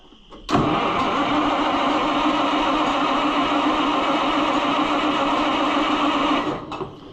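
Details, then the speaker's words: Oliver 1800 C series tractor that sat about a year, battery reading 11.8 volts, starter churns steadily at roughly four turns a second for six seconds and never catches; cranks but won't start, and the owner wonders whether to recheck spark. "Something ain't kosher here, pal. You're supposed to be running by now and you're not doing the thing."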